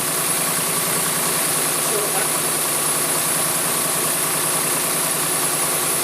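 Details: Jaguar AJ30 (Duratec) V6 swap just restarted after five to six weeks dormant, reworked exhaust manifold smoking, hoped to be grease burning off: steady idle with light busy patter over constant hiss, no knocks or misses; healthy.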